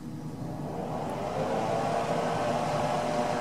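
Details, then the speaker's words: Harbor Freight 90 amp flux core welder after AC to DC conversion (bridge rectifier, capacitor, toroid coil), first plug-in test; smooth steady airy whoosh with faint hum spinning up, fan working, nothing rubbing; normal cooling fan operation. "So my first test, of course, you know, when I plug it in and turn it on, you know, the fan will come on."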